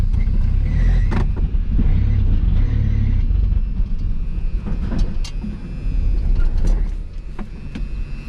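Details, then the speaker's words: 1981 AMC Spirit four-cylinder, 42,000 miles, fresh gas: starter churning about four turns a second, engine catching and faltering; hard start, not getting gas, accelerator pump suspected. "all right well so the situation is we're not getting gas [Music] does run well it might need an accelerator pump so we're gonna try to get it going"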